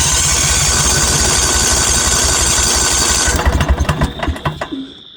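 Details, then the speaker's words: Northstar 10000 10 kW generator bought at auction, running condition unknown, old-smelling gas, fresh battery: starter churns steadily with no firing; crank no start, owner suspects bad gas. "That gas could be pretty bad. Try it a couple more times then I'll pop off the air filter and put some starting fluid in there."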